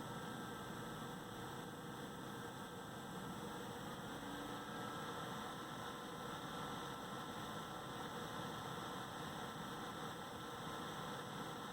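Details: AMD Wraith Spire cooler on a Ryzen 3400G with updated BIOS, BIOS fan setting between 50 and 90: a steady airy whir with a faint, thin whine on top, an abnormal fan noise.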